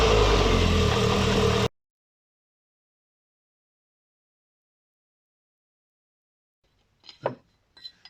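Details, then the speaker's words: MGF 1.8 K-series engine on a brief test run after replacing the leaking exhaust manifold gasket with a multi-layer steel one; steady, even note with the puffing exhaust blow gone, slight smoke from release oil on the manifold; normal running. "Sounds so much better. A little bit of smoke coming from the release oil that was sprayed on the manifold."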